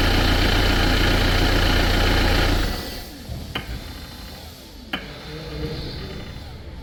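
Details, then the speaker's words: Renault Clio 2, after starting and stopping the engine, each turn of the ignition key: engine runs, shuts off, then sharp isolated ticks about every second from the electro-hydraulic power steering pump motor, warning of pump failure; electro-hydraulic power steering pump ticking. "Arkadaşlar, bu ses hidrolik direksiyon pompasından geliyor. Hidrolik direksiyon pompası motoru bölümünden."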